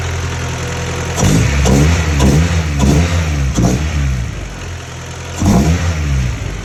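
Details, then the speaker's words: Hatchback engine on a cold start after cam seals and timing work: a steady idle with a few throttle blips and a light rattle underneath. It runs evenly, with no leaks so far. "Oh, she's a little up there, but it's a cold start. Let her warm up. See where the idle's at."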